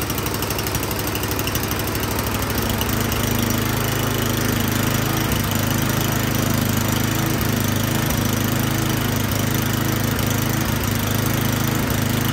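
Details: Troy-Bilt Storm 10030 snowblower that would not start after gas sat in it all summer (bad gas, clogged carburetor suspected); spark confirmed, started with starting fluid, now running great: ragged first seconds, then steady, even single-cylinder chug; normal running.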